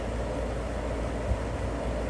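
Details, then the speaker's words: Carrier furnace control board HK42FZ011 after repair of relays burnt out by overheating from a clogged filter; relay clicks, then low steady air rush and even fan drone with no rubbing, squeal or rattle; blower running normally. "I heard the relay click and now I hear the fan blowing all right that looks like a winner everything is operating the way it should"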